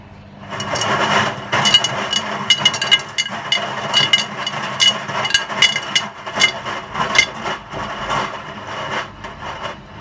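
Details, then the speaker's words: Hotpoint WMA50 washing machine, left out in rain 2–3 months, fast wash with 10–15 kg heavy chains, final spin: smooth as chain load balances, but irregular hard clatters and knocks as machine rocks and wobbles on uneven ground. "Smooth now. The chain seems to have balanced out okay. Of course it's not on level ground, so it's wobbling."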